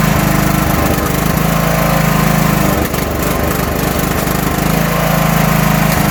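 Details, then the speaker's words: 1980s John Deere 180 lawn tractor: small single-cylinder engine chugging at steady even pace under constant drone; has spark and fuel, runs as it should. "all right so now that we know the motor runs and it's got spark it's getting fuel"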